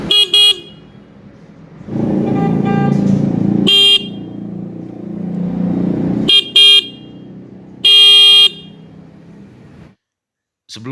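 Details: Newly bought replacement motorcycle horn, adjusted by turning its screw for a full, loud tone: several short loud blasts with a clear, rich, steady tone and no rasp or wavering. The horn is properly adjusted.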